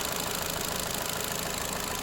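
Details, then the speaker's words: 2009 Ford Fiesta automatic, Copart salvage, idling warm. An even steady idle with no knocks or misses; it runs smooth with no leaks and good temperature. "so really nice one's really really nice smooth everything everything's great"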